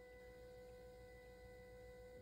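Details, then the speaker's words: Diesel that stalled right after a fuel filter replacement, ignition on: a faint, steady electric hum for two seconds, then cutoff. The in-tank fuel pump is priming normally to purge air from the fuel. "c'est le temps que la pompe derrière la porte du garage je pousse on l'entend d'ailleurs la voyez ça c'est la première manche derrière dans le réservoir"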